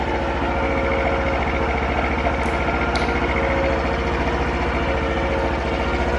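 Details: Honda Super Cub 50 FI AA04 parts bike, recall work done; small single ticks over evenly at about 3.5 firings a second, smooth, no knock or rattle: normal idle.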